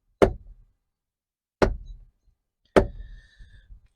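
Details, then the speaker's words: 2017 Ford Transit 350 XLT passenger door; sharp single knocks, three in four seconds, as the door swings and stops: the hairline-cracked, loose door check guide smacks its guide pin; fixed by replacing the guide (Ford BK3Z6123500-E). "So this part has failed, and it's gotten really loose here, and it's just smacking around on this guide pin here."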